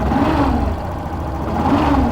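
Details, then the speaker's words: 2017 Yamaha Fazer 150, revving: humming turbine-like whine swelling with revs, resembling a bad bearing or clutch but traced to a burnt stator coil. "Que esse barulho tá aqui no estator galera alguma das bobinas está queimada"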